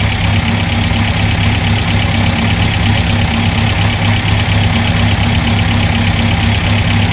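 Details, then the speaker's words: Restored 1959 Land Rover Series II 109 pickup, cold start on choke and hand throttle, viewed in engine compartment: loud steady low idle, slightly lumpy, around 1000 rpm, vibrating a little; expected to drop to 400-500 rpm off choke. "it'll it'll probably probably go down to about you know when i when i take off the choke and the hand throttles probably down to about four or five hundred rpm so um this thing vibrates a little bit"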